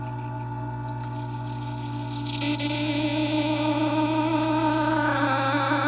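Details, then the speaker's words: Taotronics TT-IC001 nugget ice maker after about 7 months: loud steady high-pitched wavering screech over motor hum at cycle start, from the auger forcing ice up through the mushroom head at the top. "And after approximately 7 months, it started to make an extremely high screeching noise."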